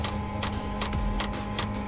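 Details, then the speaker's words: Chinese diesel heater in a 2018 Ford Transit diesel van, tapped into the Ford tank: dosing pump ticks sharply about 2.5 times a second over a low hum while pulling diesel through a dry fuel line. "yeah you can hear the pump ticking trying to pull diesel through and there we can see the diesel coming through the line right now"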